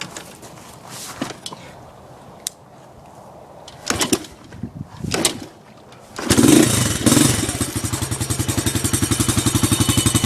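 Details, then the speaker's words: Chinese 125cc Baja Dirt Runner dirt bike after the exhaust pipe was realigned into the port on the second attempt; a few quiet taps, then it fires and settles into an even, rapid putter with no chuffing leak; runs better. "Yeah, I realigned the pipe into the motor, so this is attempt number 2."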